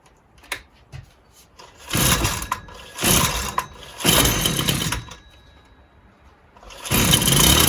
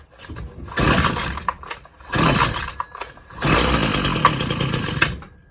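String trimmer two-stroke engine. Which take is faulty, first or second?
first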